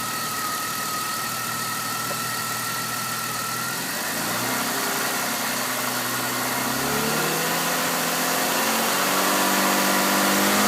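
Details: Exhaust leak at the headers found using Seafoam; headers to be replaced. Idle, then revs rise and hold, with a hissy puffing edge over the exhaust note.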